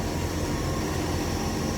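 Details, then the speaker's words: Dodge Charger, 318 V8, new Amazon carb, after making new spark plug wires for all eight cylinders: steady, even low rumble with no skips or stumbles. It is firing on all eight cylinders, before warm-up and carb tuning. "running on all eight again so that's good in my book"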